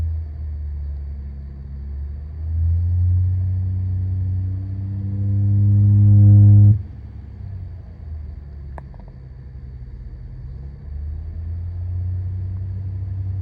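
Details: 2015 Honda Accord V6 automatic while driving: deep steady drone climbing in pitch and loudness as the car pulls, dropping off when throttle lifts; source unknown.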